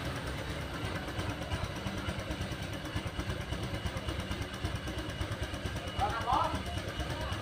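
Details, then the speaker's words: Honda Vario 125 run with the radiator water pump removed: soft, even idle with no grinding or whine. The strange noise came from that pump's hardened seal and rough bearing. "jadi penyebabnya ini ya pompa radiatornya ya jadi sudah kayaknya ini karetnya sudah keras dan beringnya sudah [Musik] kasar jadi penyebabnya ini pompa air radiator"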